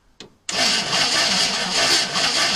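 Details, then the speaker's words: 1964 Chevrolet Impala 4-door hardtop, sitting about 40 years (last registered c.1982): starter cranks steadily but it never fires; 12.42 V at battery, 11.84 V at coil positive, so no spark suspected from worn points and condenser. "Okay, yeah. Alright, so we have voltage going to the coil. So there's a good chance that the points and condenser need to be done."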